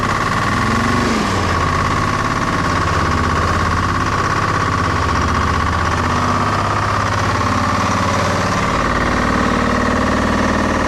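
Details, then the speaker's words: Detroit Diesel-powered car crusher idling as a pressure line is cracked to check pump output. Rough, gurgling rattle as the hydraulic pump draws only air from a low-oil tank; owner also suspected ice, debris or a failed pump. "so it looks like we're just getting nothing but a bunch of air"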